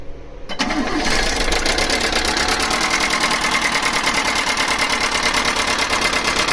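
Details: Chinese mini truck small engine starting and idling with a fast, tinny rattle on every beat; cause of the rattle unknown.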